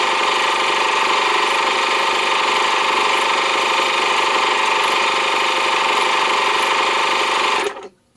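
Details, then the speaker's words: Air compressor with brushed universal motor, tank mostly full, run through a BN-LINK plug-in variable speed controller turned from high down to lowest: loud strained drone with fast piston chatter, then abrupt stop as the pressure switch cuts out normally at full pressure. "I'm going to turn it on at the high speed and then I'm going to crank it down to the lowest and we're going to wait and see if this can finally trip the I have enough pressure to turn off switch in there"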